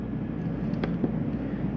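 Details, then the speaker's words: 2022 Jayco Eagle HT 31MB, rooftop main AC running on high fan on a warm day to cool the interior; steady even rush of air over a low constant hum, no knocks or rattles; normal operation. "it's rather warm in here today so i'm gonna get both the acs going let's see if that'll cool it off in here now i can take the fan make it high go back to my other fan"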